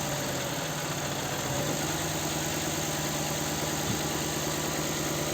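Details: Nissan Sentra 1.8 four-cylinder: uneven lumpy idle with a dropped pulse every few turns, shaking and low power; cylinder 2 misfire, coil and spark plug ruled out by swapping, caused by an injector getting no injection pulses.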